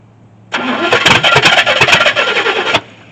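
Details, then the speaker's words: 1983 Chevy C10 squarebody with Edelbrock carb, mixture screws reset to 1.5 turns out: fires and sputters unevenly about two seconds then cuts out; runs only on hand-poured fuel, fuel starvation, needs an electric fuel pump. "All right, well, we know it'll start, and we know it's just quickly burning through the fuel that I'm throwing in it from this."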